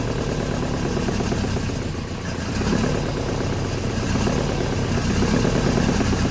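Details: 1983 Volvo 242, B23 engine, manual, revived after sitting in woods: uneven stumbling note with irregular pulses over a low rumble, won't settle; owner suspects ignition timing is badly off.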